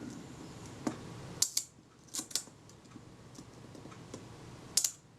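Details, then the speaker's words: Kodak Retina IIIc shutter, slow speed checked after bending the retard-gear speed pin outward because it ran fast: sharp, light clicks in a short run with quiet gaps, no snagging or hesitation; normal, smooth slow-speed run-down. "That sounds exactly as I'd expect it to be."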